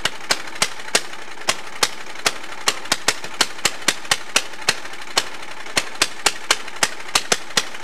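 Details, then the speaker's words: Allis-Chalmers racing tractor with swapped single-cylinder engine, governor removed, straight pipe: fast loud uneven exhaust cracks about three per second; kill switch wire unplugged itself, engine overspeeding near runaway. "wow that could have been really bad full uh runaway engine and everything jeez"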